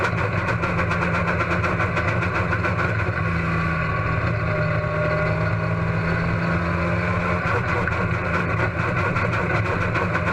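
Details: Race car engine at Huntsville Speedway: rough, choppy idle with irregular stumbles and popping breaks in an otherwise steady rhythm; engine misfire.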